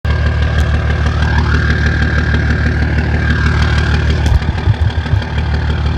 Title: 2004 dodge Cummins rough idle